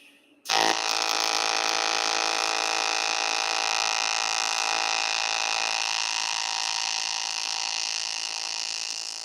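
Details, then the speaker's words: Everlast AC TIG welding, frequency lowered from 131 Hz to 60 Hz: steady even arc buzz starting abruptly, smooth low hum with crackly top; normal arc, higher heat input, puddle stays liquid longer. "So we're going to go from 131 hertz down to 60 hertz. Let's go back to the arc shot. See if I can get you guys a decent shot of 60 hertz."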